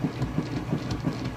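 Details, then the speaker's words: Kenmore washer, tested for resale, tub filled on wash cycle: steady low churning with a regular back-and-forth surge several times a second, strong even agitation with no knocks or grinding. "see it's got a nice strong agitation it sounds great"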